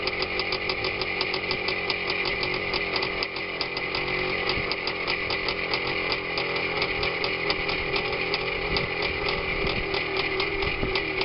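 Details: Minsk two-stroke motorcycle after K62S carburetor setup, clutch ratchet replacement and washer fix for kickstarter sector rubbing the clutch sprocket; steady, crisp buzz at even speed, regular firing, no clutch-side rattle or drag: normal running.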